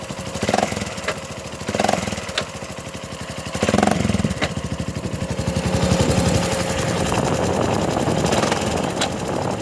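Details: 2007 Honda Foreman 500 ATV: the single cylinder runs unevenly, with dull clunks every couple of seconds as revs rise and fall. The knock comes from under the front cover, apparently the centrifugal clutch. Cause suspected, not confirmed.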